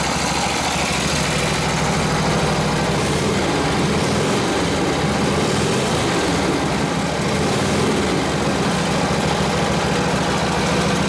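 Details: Harley WL 45ci flathead V-twin, 1939-40 3-speed, 16" star hub drum brake: even, steady low throb near full throttle with brake buried, no coughing or surging; took the load, normal running, after fixing a bad fender ground.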